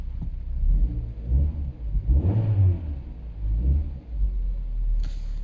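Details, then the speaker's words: Vauxhall Zafira (Opel) 1.8 XER petrol after new drivebelt and alternator, fixing burning smell, smoke and no battery charging: four-cylinder catches, revs a few times, settles to steady idle, no squeal, grinding or burning; running normally. "There you go guys, it's running."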